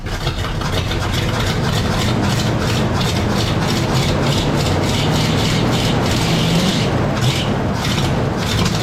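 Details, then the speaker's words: 1972 Pontiac LeMans V8 that sat for years, idling with the fuel hose kinked off: uneven, loping idle with irregular puffing and a raspy exhaust chuff; not firing on all eight cylinders, with an exhaust leak (suspected, not confirmed). "that's looking pretty good now definitely not idling on all eight but it is idling or at least it doesn't sound that way cuz of the exhaust"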